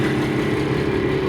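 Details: Isuzu diesel in a high-mileage TCM FD-80 forklift, started up: steady, even idle with a low rumble and no knocks or misses, runs pretty good; normal healthy diesel idle.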